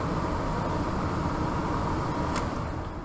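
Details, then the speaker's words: ECM 3.0 variable-speed blower motor tested without TecMate Pro, 24 volts to RX and common to C: soft even airflow hum holding one speed, no surging up and down; blower running correctly. "so everything is working correctly so as long as the variable speed blower motor turns on it doesn't pulse up and down up and down and it's speed then the variable speed blower motor is operating correctly"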